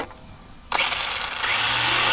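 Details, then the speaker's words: Infraction Mega RC car on 3S brushed system, front end pushed by earlier jump impact: motor spins up with harsh rushing, scraping hiss rising with speed; tire rubbing on creased bodywork. "you can see the crease right here so now the tire is hitting that's what the noise is"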